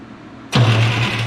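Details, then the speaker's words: IH 1026 tractor with a rebuilt starter and batteries now connected in sequence, cranked by remote starter: sharp engagement then a brisk, strong cranking whirr, spinning fast, normal cranking. "Oh, wow. She spins fast now."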